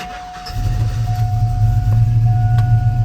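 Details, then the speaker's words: Cammed V8 truck idling after the electrical fault was fixed: voltage, previously low around 10, now holds about 14; deep, lumpy, steady cammed idle with no misses, sounds healthy. "and then we'll take a walk around and everything sounds pretty good it's pretty healthy over here"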